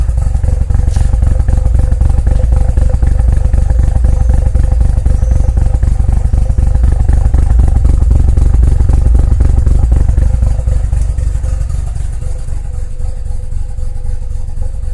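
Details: 2001 JDM Mazda RX-7 FD3S rotary idling with a fast, loping burble of about four pulses a second that stumbles unevenly, boost gauge needle shaking; rough idle, cause unknown.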